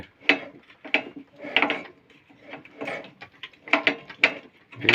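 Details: Lifan 190F 15 hp engine on a motor-towing sled turned slowly by hand, disassembled; irregular sharp metallic clacks found not from conrod or crankshaft but from camshaft end play due to a worn bore in the crankcase cover.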